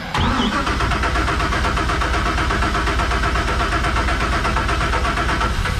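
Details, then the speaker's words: Crusader boat engine starting after injectors were rebuilt and tested and rails cleaned, with air bled from the fuel; catches on the first crank and settles straight into a smooth, even idle with no misfire. "it's got air in that fuel oh look at that she is running smooth"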